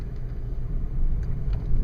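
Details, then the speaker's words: 2000 Oldsmobile Silhouette minivan at about 20–25 mph: deep growl under road rumble, pitch tracking wheel speed not engine rpm and persisting in neutral; probably worn drive axle hub bearing, later replaced. "5 miles per hour and I'm going to call it a a loud hum or a growl I know that it's not the engine the engine's pretty quiet and I noticed that the pitch of this growl or hum is relative to the speed of the vehicle wheel speed it's not relative to RPMs of the engine"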